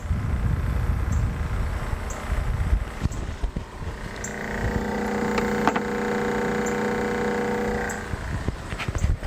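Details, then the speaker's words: Coleman 5232 thermoelectric cooler running, drawing only about 0.2 A of a rated 4 A maximum but cooling slowly: small fan runs with a loose, gravelly rattle over a steady hum, like a box of rocks. Noisy rattling fan. "It's getting colder. It is working. These things are not fast. Sounds like a box of rocks."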